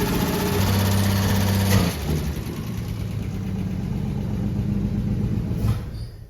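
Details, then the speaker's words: Cold 1964 Plymouth Savoy, high mileage, back on the road project after 29 years parked, testing fuel pump and ignition, choke not hooked up: lumpy cold run at about four beats a second, sags and stumbles near stalling when throttle is stomped cold. "well if you quit stomping it while it's cold maybe it would stay running"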